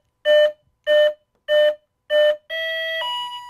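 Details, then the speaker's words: FMS warbird (P-51) ESC after throttle stick calibration, battery plugged in with the throttle at the lowest position: four even beeps, then a longer two-step tone. Normal ESC initialization; the ESC is armed and ready. "now when we plug this in the speed control should initialize and be ready for use okay"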